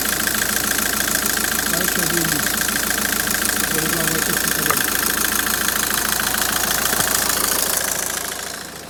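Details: 2008 Citroën C5 at idle after AC hose seal replaced and test recharge with tracer: steady compressor hum over the engine, no squeal, rattle or cycling clicks, about 14°C outside; AC working normally.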